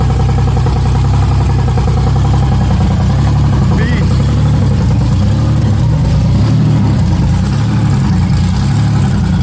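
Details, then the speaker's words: 1994 Chevrolet Cavalier 5-speed, first start of a freshly built 3400 V6 with ported 3500 heads, strip cam and Obx headers. Loud, lumpy, deep idle with open-exhaust rumble, steady and even. The oil pressure gauge reads nothing; owner suspects the gauge, since it showed pressure earlier. "This thing sounds like a beast."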